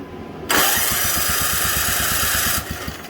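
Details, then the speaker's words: Simplicity 560 snowblower small single-cylinder engine, pull start in about 10-degree cold: catches at once and runs with a quick, even popping beat over a bright rush; starts and runs normally. "oh man noises all right now pull start perfect"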